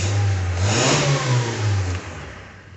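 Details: 2001 Honda Civic D17A, previously rough running and hard starting after loose alternator spiked voltage and fried ECU, after ECU and matching immobilizer replacement: clean, smooth rev and settle with no stumble or misfire; fixed.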